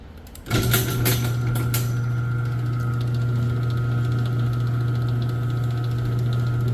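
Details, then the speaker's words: Chamberlain LiftMaster 1/3 hp chain garage door opener, after freeing jammed carriage, fixing slack chain and bowed rod, and cleaning: brief start-up clatter then smooth, even low hum, no grinding, knocking or squeaks; normal operation. "so how does the sound you ask [Music] and right there is a beautiful sound in garage"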